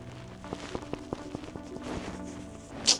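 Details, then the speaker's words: Modified 2007 R56 Mini Cooper S (300+ hp), driver side CV axle with boot coming off, wheel raised and turning: sharp regular clicks about five per second, spacing widening as it slows; worn CV axle. "all right boys well another one bites the dust driver side axle let's see if we can hear it not"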